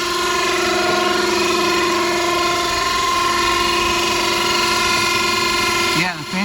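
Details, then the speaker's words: 2009 Infiniti FX35 3.5L V6 at idle, heard under the hood during P0024 exhaust valve timing diagnosis: loud steady whirring hum from the radiator cooling fans that stops when the fans switch off. "came on okay so that's the fans making that noise wow those things are loud yeah the fans just went off and the noise just went away so definitely it's the fans making that noise again"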